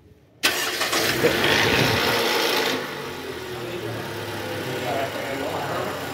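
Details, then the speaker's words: 2012 Toyota Camry 2.5 V (2AR-FE), 167,000 km, after worn balancer shaft replacement (engine mount also found cracked). A brief crackle at start-up, normal oil rising after sitting, then a smooth steady idle. Normal cold start. "oke mesin sudah hidup yang bunyi crak di awal itu krek itu eh proses oli mesin naik ke atas ya guys"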